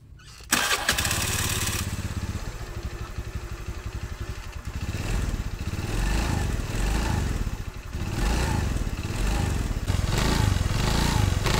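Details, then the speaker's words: Honda BeAT FI scooter (matic) with rough starter: harsh grinding rattle from CVT housing at initial throttle pulling away, like a shattered bearing, gone at mid-high throttle; worn CVT final-drive bearing, rubber O-ring on shaft holding brass bushing involved. "suara aneh ya suara aneh Suaranya berisik sekali apabila kita Nyalakan pas mau jalan itu awalan ada suara berisik berisiknya itu seperti ada laher yang hancur di dalam sini ya"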